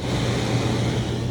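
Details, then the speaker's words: 2018 Montana 3791RD fifth wheel rooftop AC after repair sealing factory-unsealed ductwork to the unit inlet and retaping the return, heard at an added ceiling vent: steady rush of air over low fan hum, slightly louder, no rattles; normal airflow. "Then you know, everything's blowing through. You hear it, you know, it's kind of like the you know, the non-whisper quiet ones, but it suits my needs a lot better that I can just open that up and have, you know, just have it dumping the cold air right into the living room."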